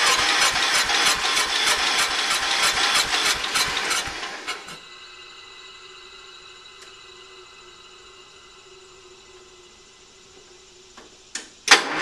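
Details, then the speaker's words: Early-1980s Ford LGT120 tractor, Kohler K301 12 hp single, engine rebuilt twice, new piston: starter cranks in quick even chugs for about four seconds on a weak battery without catching, then quits. Hard start; owner suspects valves. "we just put a new piston in there and uh it starts really hard I think we might mess some up the valves"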